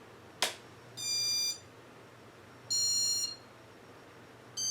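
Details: Casablanca Four Seasons ceiling fan, 36 or 38-inch, Intelli-touch control: after a click, three short high beeps as control cycles speeds without the motor starting. Owner suspects a bad Intelli-touch board, not confirmed.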